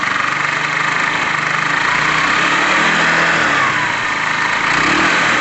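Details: Tamoretti Retro scooter/moped, after rear tyre work and air-fuel screw adjustment, earlier struggling slightly with fuel: small engine buzzing at a steady, even idle, smooth gentle rises in pitch when blipped, no misses; running properly, seems spot on.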